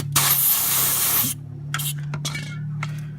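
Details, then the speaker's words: Suzuki Wagon R kei car A/C recharge: long steady hiss for about a second as the can tap clicks onto the fitting, more than the expected brief puff; refrigerant escaping at the fitting, suspected. "All right. A little more hissing than I had hoped for."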